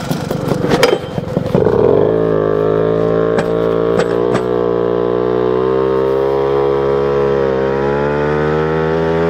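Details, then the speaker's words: Moped two-stroke on a 76 main jet, known to be too rich, audio recorded from a backpack on a test ride: steady top-speed drone with a lumpy, uneven beat, four-stroking from rich jetting; jet going down to 74. "so just got back from that as you can hear there definitely was four stroking there so we're going to go down one sizeing jet from a 76 to a 74"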